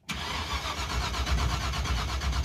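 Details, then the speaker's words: Stretched 1986 Chevy crew cab dually with a fire-truck coil and a borrowed ignition box whose light blinks: steady starter churn, a few beats a second, that never fires; no spark. The rotor checked fine, and the distributor pickup is to be changed next. "It's blinking. That's weird, dude. That's got no spark."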